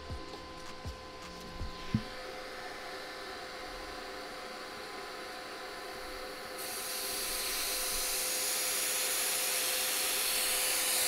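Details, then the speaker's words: Cheap 50 A Amazon plasma cutter air supply/regulator pressurized, cranked toward 75: clicks then steady rising hiss of compressed air leaking from a loose fitting held by a nut. "so i think we do have a leak i just have to figure out where but i'm gonna crank it up to 75 and then figure it out so i found the leak and it was coming from this fitting right here"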